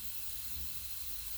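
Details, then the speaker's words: Simplex restoration run on compressed air at about 30 PSI, before lubrication: faint, steady hiss of escaping air with no rhythm. Air is leaking somewhere inside, source not yet found. "what's concerning is there's air escaping around here somewhere and I don't know what it is"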